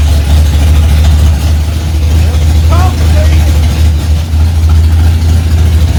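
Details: 1965 Ford Mustang, freshly rebuilt 289 small-block V8 on its cold first start, mixture screws two turns out: steady, even low rumble at a raised idle with no knocks or misses; running smoothly at fast idle.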